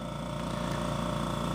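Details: Bella Micro machine in aspiration mode at maximum pressure with the handset blocked, pulling 21–22 inches of vacuum: steady, even hum with a fine regular pulsing and no rattles or dropouts; vacuum pump running normally.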